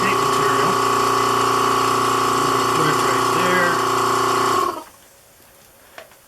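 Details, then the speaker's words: Vacuum pump bagging a composite motor tube: a steady whining drone that runs for several seconds before shutting off, cycling often. The pump runs near-continuously because of leaks in the vacuum bag. "so as you slowly plug the leaks you kind of know you're gaining by how much time there is in between periods of the vacuum being on so there's a leak over here where my left hand is as long as i'm pushing on it it doesn't leak or at least i can't hear it"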